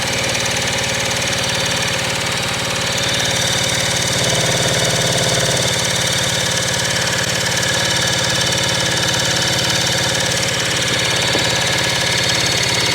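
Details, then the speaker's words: 1975 Kawasaki KE125, previously seized, freed, carburetor rebuilt, fuel added and brake clean sprayed, key on: fast steady churning about three and a half beats a second with no firing pops; turns over but won't catch. "So let's try this key on. We got nothing. Oh, we got nothing."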